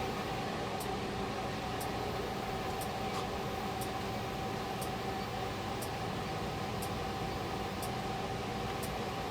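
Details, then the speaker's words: 2012 Honda Pilot with weak AC, low refrigerant and clogged cabin filter, evaporator initially suspected: sharp even ticks about once a second over engine and fan drone as the leak detector alarms; big refrigerant leak at the AC compressor. "We are leaking at the compressor. That is why I love this machine. Yeah, we got a pretty big leak on that compressor."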